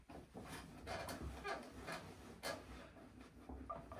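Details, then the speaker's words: Bar stool or swivel chair with a gas spring, turned by hand: irregular creaks, cracks and squeaks with each turn, pointing to dry metal-on-metal joints at the gas spring and its mount under the seat; squeaking swivel joint. "moin moin und hallo heute wollen wir mal diesen Studie entquetschen knackt und quietscht hört ihr"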